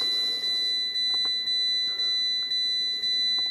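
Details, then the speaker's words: Fiat 500 after module settings were changed with MultiECU Scan; a steady high seatbelt chime repeats about twice a second nonstop; no fault code, so not the Blue and Me module; airbag suspected; it stops during proxy alignment. "No fault code, so it's not the Blue and Me that's causing that. Might be that airbag thing."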